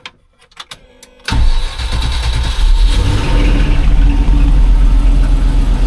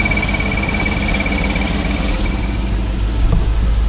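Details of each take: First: 1989 Range Rover Vogue SE V8 after broken exhaust manifold studs were repaired and the head removed and refitted: short crank, catches at once, settles to a steady low idle with no ticking or exhaust blow; alternator belt shredded, alternator light on. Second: 1989 Range Rover Vogue SE V8 after cylinder head refit, cooling system disconnected, idling: rough puffing exhaust blow on the other side; something dry beneath, probably power steering; alternator belt shredded.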